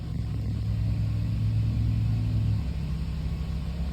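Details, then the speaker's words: Toyota Echo after maintenance, exhaust reassembled without a clamp: low even engine rumble holding steady then easing off, no knocks or ticks; smooth and healthy. "all right i i i don't even i don't know what to do with myself this thing sounds quiet and smooth and nice"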